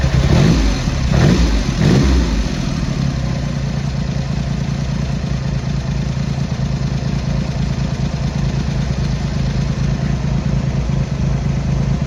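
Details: Triumph Hurricane X75 triple after carb rack rebuild, pilot screws richened, left carb adjustment corrected: blips then steady, fairly even idle with no misfire; running better, slightly rich off idle; road test needed for further tuning.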